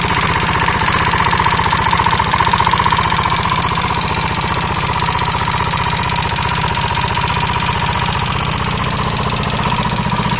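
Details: KTM 640 LC4 single at idle with a sharp, regular metallic knock about four a second; engine knock, owner unsure whether top end or bottom end.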